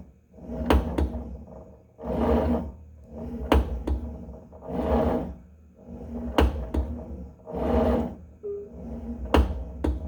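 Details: Tonal home gym cable retracting: sharp clicks or pops, often in pairs, on each whooshing cable stroke; fix is resetting the cable system; cause suspected, not confirmed.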